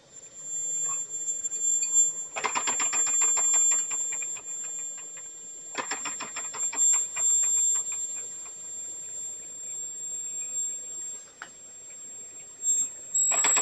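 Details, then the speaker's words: Homemade boiler for a miniature steam engine, heating on the edge of making steam: a thin, steady high whistle under ticking and hiss; owner suspects steam blowing past a poorly sealed valve, possibly needing rebuilding for a tighter seal. "They got a whistle going on. Come on. It's almost there. It's got a high pitch. I don't know if you can hear the high pitch or not, but it's there."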